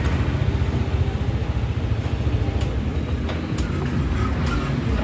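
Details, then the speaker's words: Yamaha NMAX scooter that would not electric-start (turn signals/hazards normal), after cleaning the dirty brass contacts inside the starter switch: the starter spins and the engine picks up into a steady, low, pulsing run, so it starts normally again. "Nah, di sini starternya itu udah bisa nyala kembali."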